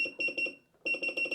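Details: Mecpow MP30 tumbler heat press being set to 180° and 120 seconds: quick run of high-pitched beeps, a short pause, then more beeps; normal key-press confirmation tones.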